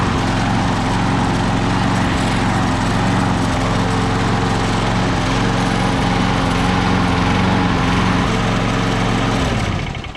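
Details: Craftsman electric-start self-propelled lawn mower, previously would not start or stay running: steady, even engine drone at constant speed for ten seconds, then a clean shutdown; running normally.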